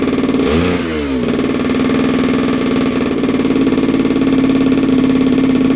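A quick blip of revs, then it settles into a steady, buzzy two-stroke drone that holds even without stumbling.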